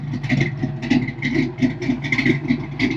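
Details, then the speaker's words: Ford Fox-body Mustang with an exhaust leak, after MAF and computer swaps: an idle with a loose rattle that swells and sags every second or so but doesn't stall, a hunting idle; owner suspects the MAF isn't calibrated to the injectors. "After lots of tinkering, the idle is kind of up, and then it'll fall back down. And then after a little while, it'll go back up, and then it'll go back down. But it doesn't stall."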